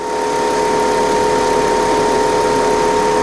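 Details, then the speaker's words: 2004 Volvo S80 2.5T after cam seal replacement for an oil leak, first start the next day: steady, even idle hum with no knocks, misses or hunting; smooth normal idle. "Sounds good. Sounds smooth, actually."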